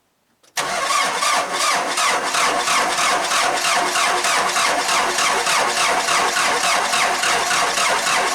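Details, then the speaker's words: Cummins 4BT diesel Jeep at about 30°F: starter turns the cold engine at a steady three compressions a second for eight seconds without catching; hard cold start, later fixed with grid heater and VE injection pump replacement. "And uh I've been having a little bit of a problem with the diesel Jeep. And uh I'm going to show it to you and then we're going to fix it."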